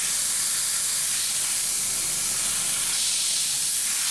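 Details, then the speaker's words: 2001 VW Jetta 1.8T with codes P0442/P0455, tank pressurized by the EVAP basic settings test: a constant steady hiss. Soapy water bubbles and fuel smell at the fuel pump gasket, likely seated improperly when the fuel pump was installed. "pretty confident that that's a there's a leak around that gasket there from somebody installing a fuel pump that gasket is a little bit finicky and you have to know the exact right way to put it in"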